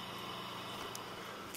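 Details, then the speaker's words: Dell Optiplex GX280 SFF with Prescott CPU and small heatsink, under heavy load on fresh install: low steady hum with even whoosh, no rattle or whine; CPU fan at full speed, normal and quiet. "So that's pretty amazing for a Prescott chip that a dinky little heatsink like that is able to keep it cool enough to where the fan barely makes any noise."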